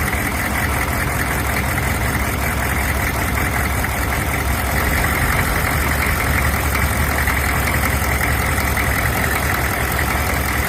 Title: Fault Bosch injectors from India making knocking sound